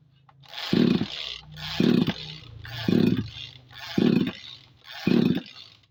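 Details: Tanika 20-litre sprayer engine with strong spark, after fitting a new Bosch spark plug: five pull-start attempts give only brief whirring rasps with no firing; won't start, ignition or starter suspected next.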